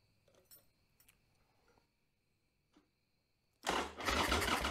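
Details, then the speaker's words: 1995 Harley-Davidson Sportster Evo V-twin after top-end rebuild, first start: bursts into life at once and settles into loud even beat, firing on both cylinders, idle possibly a little high; normal start. "but you know it cranked up without having any issues it sounded like you know it seemed like it's firing on both cylinders and kind of heat get getting built up and everything"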